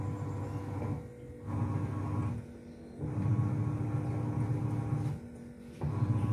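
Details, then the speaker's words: Sharp single-tub washing machine after a repair that removed a foreign object: low, smooth churning in bursts of about a second as the pulsator reverses, no grinding or scraping; soft and clear like new. "उम्मीद है कि यह वीडियो उन दोस्तों की मदद कर सकता है जो समस्या का सामना कर रहे हैं जैसे कि हमने जो अनुभव किया है वह फिर से नरम और स्पष्ट नए की तरह ध्वनि की मरम्मत के बाद वॉशिंग मशीन की आवाज है"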